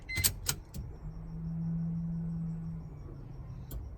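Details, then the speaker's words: Mazda FD RX-7 before first start, freshly connected and grounded fuel pump, key on: faint even hum for about two seconds then cuts off; fuel pump primes normally, no leaks found afterward. "There it is, you heard it. Prime it one more time."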